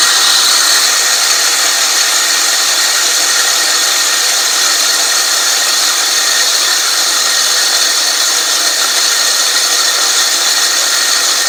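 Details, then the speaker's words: California Trimmer RL205H 20-inch 7-blade reel mower with a Honda GX120, backlapping in reverse with more 80-grit compound after the reel-to-bedknife screws were tightened. An even hiss and scrape with no knocks or surges shows normal lapping. "so I'm going to go ahead and continue to run my reel here with a little more Compound on it because I haven't quite done it for five minutes"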